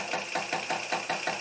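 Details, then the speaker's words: Stepper motor on a cheap TB6600 analog driver without microstepping clacks through very rough steps about five times a second over a thin high whine; the DM556 driver was quiet. "it on the steps are very rough so there's no micro stepping right now"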